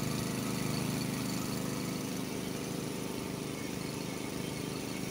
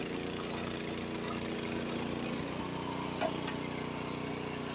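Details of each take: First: Honda HS80 snowblower, warmed up, unloaded at fast throttle: the governed speed is about 3000 rpm against a spec of 3600±150, a 15–20% power loss. The single-cylinder drone sits noticeably low in pitch. Low fast-throttle RPM setting. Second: Honda HS80 snowblower, fast throttle set to spec at 3600 rpm, first gear taking a full bite of snow: the engine holds a steady, strong note with no bogging and throws snow farther. Normal engine under load.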